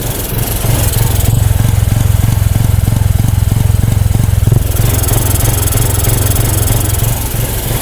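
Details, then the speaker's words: Honda SH125i 2021 scooter after routine servicing, idling: loud, high idle with a hard chugging beat like a tractor, about three per second; intake air leak leaning the mixture. "Cái tiếng nổ của nó rất chi là to Và đồng thời là cái tiếng nổ của nó kiểu giật cục giật cục giật cục lên đấy"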